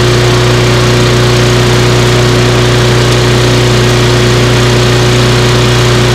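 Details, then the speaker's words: Small single-cylinder lawnmower after repair, running with a loud even drone and steady hum, no knocks or misses; sounds pretty good. "It sounds pretty good. So what we're gonna do is we're gonna finish put that cover on the top, and we'll run it along, trying to mulch it."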